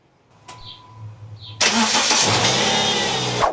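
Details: 2012 Subaru Outback after repair of a banging, rod-knock-like sound, test start: short crank, then catches cleanly and runs evenly with no banging or knocking; healthy start.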